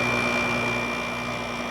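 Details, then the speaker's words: 2006 GE 5150 BTU window air conditioner with LG compressor, after cleanup: steady low hum with faint constant whine, no knocking or rattling; compressor runs smoothly and quietly. "i spent way too much time on this lg compressor it really sounds nice"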